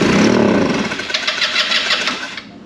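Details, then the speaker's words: 2008 Taotao/Titan scooter on starting fluid, still in gear: catches with a short buzzy burst, then fades and dies within about two seconds; suspected fuel delivery problem, no fuel supply. "It's all good, it's just no fuel supply, I guess. Look it ain't running, there's fuel delivery issues like Dr Torque said"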